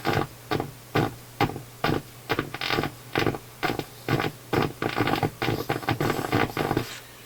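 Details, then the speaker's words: Philips console stereo receiver on FM after a wire was resoldered, AM sounds fine; harsh, buzzy chopped audio over steady mains hum, badly distorted output; suspected an improperly biased vacuum tube rather than an IF fault, treble control also implicated. "But that really sounds like an improperly biased vacuum tube to me. It does not sound like an IF problem to me."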